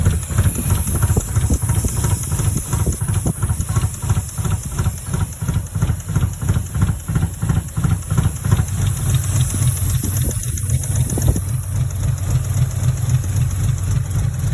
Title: tried starting the SC300 it started but was misfiring or backfiring and had a vaccume leak!